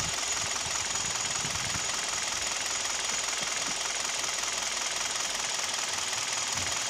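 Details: Kia/Hyundai G4KD Theta II petrol engine, recorded from inside the cabin: loosely regular knocking at idle, about three a second, under heavy hiss; owner suspects piston knock with vibration, also at 1500 rpm.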